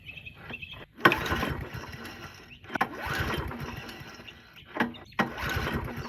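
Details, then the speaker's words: Abandoned, water-filled Murray push mower: rough bursts as it catches after priming, then even running with no ticking or knocking, engine sounds good before carburetor removal. "so that's a great sign that this thing runs and it sounds like it doesn't have any ticking knocking anything like that so it could be a good engine"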